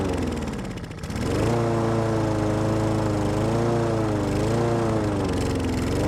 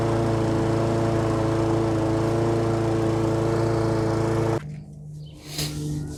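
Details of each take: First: Husqvarna lawn mower with a Honda engine that sat all winter with stabilized fuel and wouldn't start. After carb spray into the carburetor and choke, it catches and settles into a steady, even drone. Normal running. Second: Husqvarna lawnmower with Honda engine, sat all winter with stabilized fuel in tank and carburetor, started on carb spray; runs steady about four and a half seconds then abruptly cuts out, won't keep running on its own.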